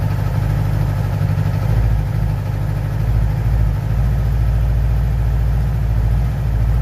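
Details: 2011 Yamaha R6 idling: lumpy, uneven beat with irregular soft puffs from the exhaust; popping at idle, cause not yet clear.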